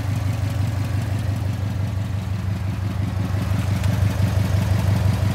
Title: I’m hearing a ticking noise coming from the driver side of the engine #subaru #engine #issue